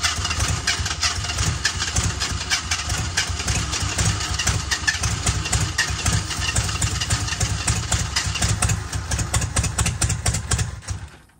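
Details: 1978 AMC Hornet starting with the battery hooked up and gas added: catches and runs ragged with irregular stumbling pops before dying; hard starting and rough running, owner suspects wrong firing order, cause unclear.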